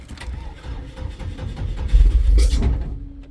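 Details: 2002 Chevrolet S10 2.2 with a severe crank-no-start on its first start of the year, low battery, fuel pump heard running: even cranking at about three and a half beats a second that never catches.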